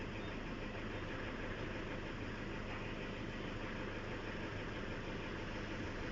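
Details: Toyota Fortuner diesel, which had a no-start caused by the interlock: a steady, even idle with a smooth low rumble and no knocks or misses; the engine sounds healthy.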